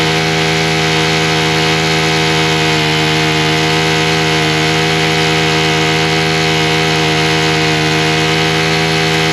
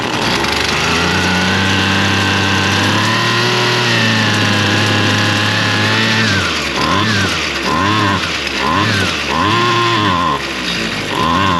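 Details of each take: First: Husqvarna straight-shaft two-stroke string trimmer, primed, run at half choke with throttle: steady high buzz at even speed, no surging or sputter. It runs cleanly; the owner still suspects the gasoline, which shows trash and possibly some water bubbles. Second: Husqvarna straight-shaft string trimmer, two-stroke, started on half choke after purging and two pulls; revs climb then hunt up and down about every second, near dying, won't stay running; carburetor adjustment planned, cause unconfirmed. Engine surging and stalling.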